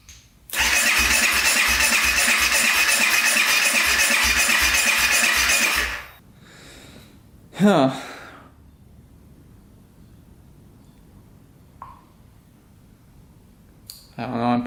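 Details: 2014 Honda CRF250L dirt bike that won't start; even starter cranking about five seconds with no firing or catch; cause unknown, exhaust checked not clogged.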